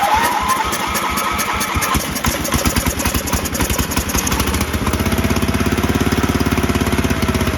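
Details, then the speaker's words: Toro Groundsmaster 52 with a swapped-in vintage Briggs & Stratton 16hp cast iron single, cranking on a bigger charged battery: strong even chuffs about 3.5 per second that never catch; believed not getting fuel, carb to be removed: cranks but no start. "It's not getting its gas. We'll take the carb off and see what's going on."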